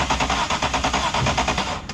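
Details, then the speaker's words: Turbo M52 E36, cranking after the engine heated and cooled, following no compression on cylinder 4 suspected from a stuck lifter holding a valve open: fast cranking pulses with an uneven gallop where one stroke comes up short, same as the night before. "just for fun I'm going to crank this thing and see if she gallops today now that it's got a chance to heat up and cool off again"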